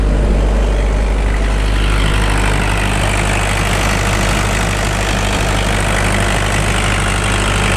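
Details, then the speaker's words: Case CX75SR excavator diesel idling after the loose muffler was refitted, before welding it back on, still warming up: even, deep low drone with no harsh exhaust rasp, now much quieter; normal idle. "Wow. Sounds a lot quieter. Yeah, that sounds a lot quieter."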